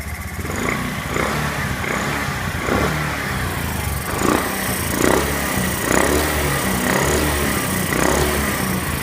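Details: Honda Zoomer-X scooter that wouldn't start, now idling after a new fuel pump motor brought fuel pressure to about 300 kPa (3 bar): steady, even single-cylinder beat with no misses or stumbles.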